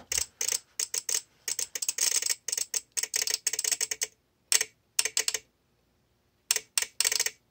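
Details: VXT-24 boiler feed controller on a steam boiler: rapid, irregular bursts of dry clicking with silent gaps; relay chattering because a leak dripped on the manual feed switch and shorted it, opening the feed valve and flooding the boiler.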